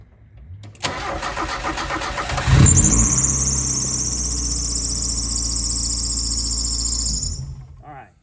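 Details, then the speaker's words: Mazda Miata after the no-start main relay was pulled and checked for overheating: brief cranking, then it fires cleanly and settles into a steady, even idle before shutting off. Normal start. "So, it starts. Okay. So, if you've got a car that you're driving along and it dies and you don't and you can't get it started, I'd be looking at that."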